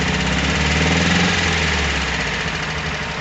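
Air-cooled engine idling with a steady, even knock at about four per second riding over the low thrum; cause unknown.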